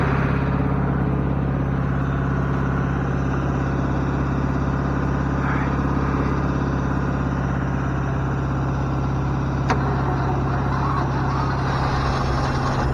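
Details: Ford F600 truck revived: steady, even low rumble with no knocks or misses over thirteen seconds; the engine runs smoothly and sounds healthy.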